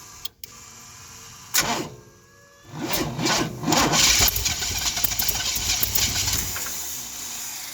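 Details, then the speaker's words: 1971 Chevy Cheyenne factory big block 454 with new Jegs Bandit EFI, first start with a new cam to break in: short crank, catches immediately, steady slightly lumpy V8 idle, no misfire; EFI started without issues. "the EFI cranked right up and didn't have any issues"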